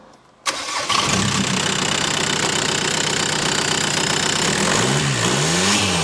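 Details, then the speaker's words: VW Lupo 1.9/2.0 TDI diesel (~400hp build) with MuchBoost GTB3073 VKLR big turbo, large intercooler and new 100mm intake routed next to the exhaust manifold: cranks, catches at once, steady idle, two clean blips; normal start and rev. "adică mi se pare că arată foarte frumos uh, uh, admisia și sună și foarte bine, după cum o să vedeți imediat."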